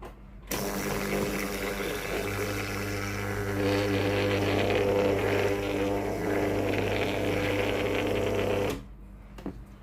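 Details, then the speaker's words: Tefal GV8950M0/23 steam iron with no steam output, removed water pump tested on 220 V with hose in water: steady low electric hum, even, then cuts off cleanly; pump delivers water, normal; three-way water valve suspected faulty instead. "ตัวนี้มีน้ำไหลออกมานะครับก็แสดงว่าตัวปั๊มน้ำนะครับสามารถสูบน้ำได้นะครับปั๊มน้ำน่าจะไม่เสียนะครับ"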